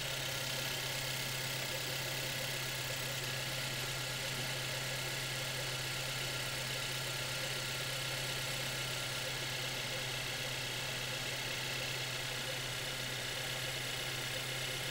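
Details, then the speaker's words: Car engine checked with a stethoscope at idle: a steady, even hum and smooth low drone with no mechanical knocks or ticks. Judged normal idle. "뭐 다른 소리가 막 들리진 않아가지고 그렇죠. 예. 정상 같은데 어떻습니까?"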